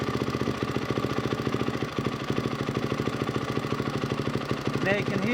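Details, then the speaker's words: 1999 Yamaha WR400F with a Kawasaki KX450F carburetor, fuel mixture screw wound out too far: single-cylinder idle thumping at an uneven beat, occasionally stumbling and stuttering; rich mixture stumble. "can hear the bike is stuttering, so I'm just going to wind it back in."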